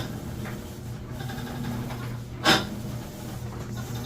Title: Maytag washer squeaking grinding noise